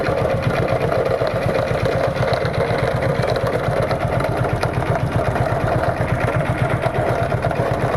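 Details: Motorcycle single engine idling with an uneven, clattery ticking roughly three times a second over the exhaust beat; something is wrong, cause unclear.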